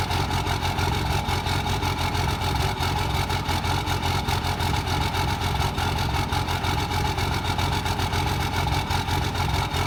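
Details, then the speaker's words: Cummins diesel truck with stock injectors (no faults) fitted back on a hot-rodded VP44 injection pump, at idle: loud, coarse clatter with rough, uneven pulsing; harsh combustion from injectors mismatched to the modified pump, upgraded injectors planned. "I'll show a short clip right here to you guys just to show you what stock injectors on a hot rod VP44 will sound like. And warning, if you cringe easily, don't watch this, because it sounds horrible."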